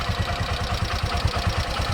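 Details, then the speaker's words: Bajaj CNG auto rickshaw after fitting another CNG kit, following bukbuk misfiring caused by a missing air nut: a steady, even thump about five times a second with light clatter on top, no misses. Idle is smooth, with good pickup after a test drive. "तर एकदम perfect आता round मारून आलो आम्ही, एकदम perfect गाडी चालते आहे, एकदम परफेक्ट गाडीचा पिकअप आहे."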